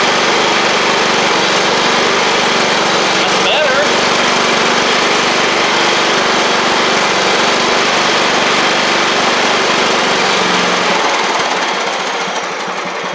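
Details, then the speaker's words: John Deere L110 riding mower engine, after fitting a fuel pump to cure flooding, runs steadily with an even note before winding down; the fuel pump was the issue. "hey hey that was our issue let's get it out here and see what it'll do"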